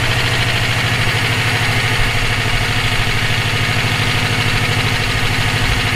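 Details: EJ257 engine knocking at idle for about 17k miles since purchase; regular light knock, roughly three per second. Owner suspects rod knock, spun bearing or valve lash needing adjustment; source unclear.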